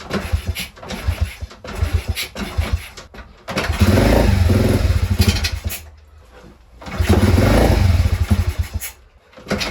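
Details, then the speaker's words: Crashed pit bike, carb just refitted, leaking fuel (owner suspects float), kickstarted: starts and buzzes a couple of seconds then dies repeatedly; ran after adjusting the idle screw, very smoky. "Why did it start and turn off?"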